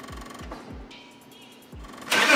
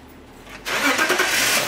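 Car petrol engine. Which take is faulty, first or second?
first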